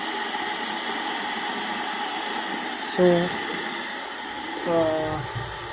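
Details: Kettle after fuse repair, previously not turning on: steady rushing hiss at rolling boil, no crackle, buzzing or cutting out; heating normally.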